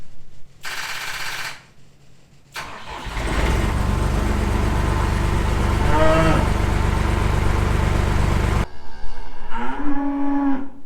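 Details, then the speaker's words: John Deere 250 skid loader diesel after adding a Ford solenoid to counter voltage drop: short cranking burst stops, then a second crank catches and runs steadily; hesitant starter engagement, possibly from weak voltage. "I don't know how I feel about that because it still kind of had an issue."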